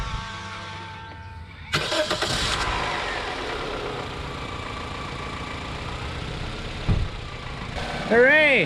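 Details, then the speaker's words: 2007 Toyota Corolla after the battery was replaced with a new battery: a brief crank, then it catches at once and settles into a steady, even idle. A clean, healthy start. "started up quick and easy that was a little bit redneck I don't think I did everything as well as I could have done it but I got the battery in there and the car is working fine"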